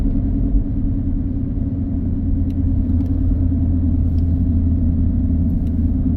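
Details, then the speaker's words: Jeep Renegade driving at road speed with very worn tires, after coil repair fixed misfire and clunking: steady low droning rumble that barely changes when swerving, suspected tires rather than a wheel bearing; road noise. "I don't know if you can hear that W noise I really think that's tires cuz it doesn't really change all that much when I swerve the car one way or the other"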